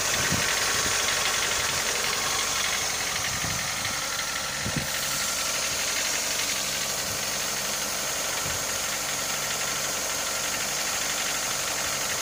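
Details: Mitsubishi Lancer 9 1.6 engine at warm idle: light, fairly regular ticking knock about three per second over a hiss. There was no knock when cold, only slight shaking. The knock comes on hot; source undetermined.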